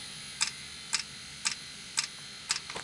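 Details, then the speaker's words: 2016 Mercedes Sprinter 2.1 L four-cylinder diesel, diesel-fired coolant block heater starting up: sharp even ticks just under two per second from the heater's fuel dosing pump; normal diesel heater dosing pump ticking. "and it's just starting to start up now. That's the fuel pump clicking right"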